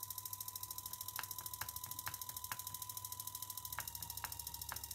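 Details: 3.7 V mini DC motor driven through a dual-mode PWM module, duty cycle lowered to about 15%: steady high-pitched tone near 1 kHz over fast even ticking; the whine comes from the PWM module at low duty.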